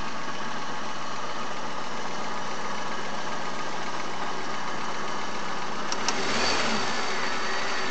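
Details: Chery Amulet: steady idle, then a sharp blip brings quick metallic knocking rising with revs; owner also reports excess idle vibration and oil pressure lamp sometimes lighting at warm idle; cause not yet known.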